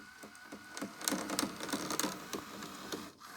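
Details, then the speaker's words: Hitachi 32-inch LCD TV/DVD combo (model VC326000) on eject: quiet plastic ticking and whirring as the drive motor stalls, restarts, then stops; electronics and sensors work, but the disc loading/unloading mechanism binds mechanically. "Okay, it's trying. There's something wrong with the loading and unloading mechanism. The sensors are working. something mechanically wrong."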